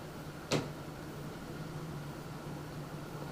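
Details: NZXT Phantom 410 mid-tower case pre-installed fans at highest speed setting, where a weird vibration or electrical noise heard at medium speed disappears: quiet even airflow hiss with faint steady hum, no rattle or buzz; normal fan running.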